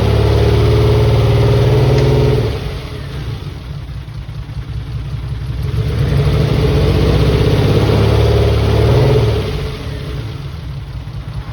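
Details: Mitsubishi 3000GT VR4, new engine's first start on old, long-sitting cleaned injectors. Lumpy idle pulsing about four beats a second, dipping and surging with the revs. Owner suspects injectors, with one or two cylinders misfiring.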